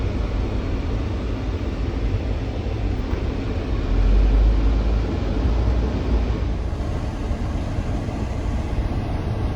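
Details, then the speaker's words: 1972 Peterbilt on Duramax diesel chassis swap; steady deep diesel rumble with brief rev swell mid-clip, even, no knocks; earlier stalling traced to coolant temp sensor, unplugged; normal running. "But it's running really good, sounds good."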